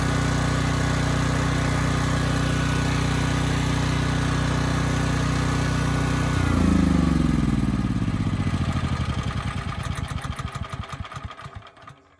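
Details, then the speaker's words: Briggs & Stratton Elite Series generator (model 030471-01), stored 5+ years and repaired from 35 V to 120 V output: steady engine note holding speed under a 3000 watt load, then shutdown and coast-down; sounds healthy. "And after plugging this in, the engine kept running fine. So I don't think we have an issue there. And on the load side, we also did pretty well too."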